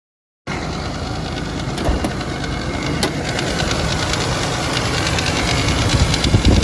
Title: Land Cruiser 80 fzj80 1fz-fe rattling sound